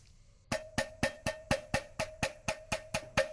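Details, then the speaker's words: Triumph Daytona muffler removed and shaken by hand: about four sharp hollow metallic knocks a second, a loose baffle rattling inside the old muffler; new replacement exhaust is silent. "really sure where it's coming from, but something does have just the slightest little rattle."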